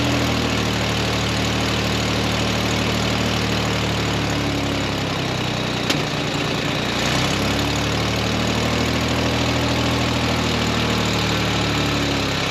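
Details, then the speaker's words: 1969 Jeepster Commando or 1967 GMC: uneven loping idle with irregular low thumps and hissy exhaust note; carburetor still off, burning oil residue off the manifolds, suspected exhaust leak on one side. Rough idle. "way happier than what she was before but that carburetor is still funky burning off some oil residue off it manifolds is that way sounds like we got a heck of exhaust leak on this side"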